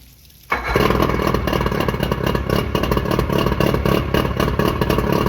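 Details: Johnson short-shaft 40 hp outboard (believed 1987) on a driveway test after repairs. It fires instantly and settles into a fast, busy, steady two-stroke rattle; the motor runs well, with the idle a touch high.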